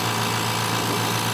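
Steady, even hum with a smooth low drone and no knocks or rattles; the compressor is running quietly and normally.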